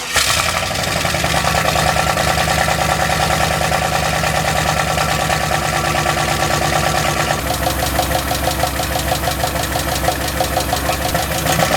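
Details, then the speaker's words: 1990 Ford Festiva body on Miata chassis with turbocharged LS V8, rear-wheel drive, leaking fluid: loud rough idle with a loose, irregular clatter about three clanks a second; source of the clocking and clanking not pinned down. "well I guess we could start it up and see if all the little clocking and clanking goes away"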